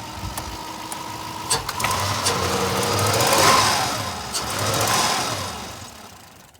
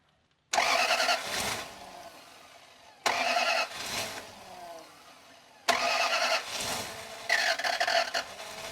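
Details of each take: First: 2000 Toyota Land Cruiser that didn't run, just revived roadside with throttle body and MAF reconnected, other electronics unhooked: engine climbs and falls cleanly through two throttle blips with no knocking; normal revving. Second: Toyota Land Cruiser, previously died while driving, reported no compression, after timing belt work, with the intake off and the mass air flow sensor and throttle body unplugged; three bursts of fast cranking, about 200 rpm, that never catch.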